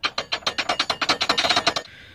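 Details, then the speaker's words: Chevy Trailblazer: rear clunk persisted after the sway bar links and bushings were replaced; crisp metallic clicks, about seven a second, as the wheel is turned by hand, from loose parts inside the rear drum brakes. "the noise was still there so that really sucked so he brought it back again and yes it is inside the rear drums so that's the noise he was hearing"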